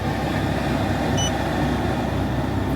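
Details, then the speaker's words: New 500 CFM fresh-air ventilation blower in a bus, replacing a 95 CFM unit, on a 24 V 5 A supply, on high: steady rush of air with constant motor hum, no rattles or rubbing; normal operation. "there it is on high oh yeah that is a lot of air"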